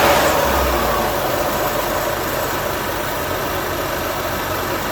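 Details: 2013 BMW X5 35i (N55 engine) after an air filter replacement: a steady, even idle with a smooth low hum and no misses, ticks or surges. Healthy idle.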